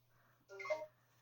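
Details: Neato D7 Connected robot vacuum stuck in a boot loop, repeating a short rising "bidibopp" start-up chime and refusing to start, red battery symbol, no helpful error codes; battery reading 14-15V and a new battery didn't help, motherboard-to-battery communication failure suspected.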